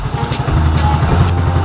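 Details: Yamaha Mio Soul GT 115 scooter after new cylinder block installed: even low putter at idle, steady beat, no knocks, ticks or rattles, smooth and healthy; old block was worn, residual smoke from oil in exhaust.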